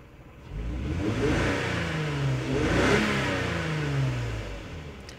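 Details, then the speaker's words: 2003 Lexus GS300 V6 revved twice, hesitating and stumbling; scan-tool misfire counts point mainly to cylinder 2, with cylinder 1 briefly showing one count. Backfires at idle or low load; possible coil pack, spark plug, wire, injector or intake runner leak. "so as I rev the engine up I do feel that hesitation that misfire alright so so far you know we have seen that number two is a pretty much the main cause"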